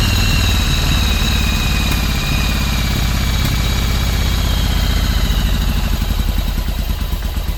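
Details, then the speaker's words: 1995 Yamaha Virago 1100 V-twin running after its first start in 12 years, following carb cleaning. Low, loping idle, a bit uneven but holding steady without stalling. "Well, guys, it runs, huh? First start in 13 years."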